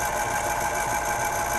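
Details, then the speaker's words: 1970 RCA YLG43 reel-to-reel tape deck before repair, capstan turning: steady busy mechanical whir and chatter while neither reel platter is driven, traced to a worn idler wheel contacting the motor shaft. "Donc, il y a quelque chose qui ne marche pas avec les entraînements des deux plateaux."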